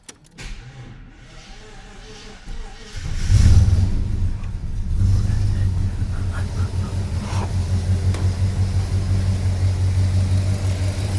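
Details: Holden VK Commodore 304 V8 after replacing fuel injectors for running rich and fouled plugs, fuel rail primed and no leaks: about three seconds cranking, then it catches, flares and settles into a smooth steady idle; normal start.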